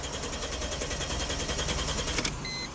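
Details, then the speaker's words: 2005 Chrysler Crossfire (Mercedes drivetrain) that stalls after minutes of driving and won't restart until cool: even cranking with no start. Scope shows no injector or ignition pulse; suspected cam/crank input problem. "Nothing. So no injector pulse, no ignition pulse, nothing at all."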